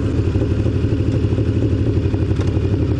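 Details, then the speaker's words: Kawasaki ZN1100 motorcycle at low rpm: low, thumping, uneven loping pulse about three per second, heard only on the left side and mainly at low revs; owner suspects a misfire, cause unconfirmed. "It's just like, dun, dun, dun, dun, dun, dun. It's only the left side too. It's really only prevalent like when it's at a low RPM."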